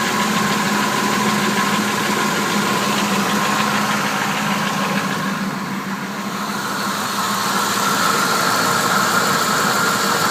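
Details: Engine idling with light, fast ticking about three per second and a faint whine, heard from the bottom of the engine; spark plugs good, new flywheel and hardware installed; owner suspects a broken lifter, not confirmed.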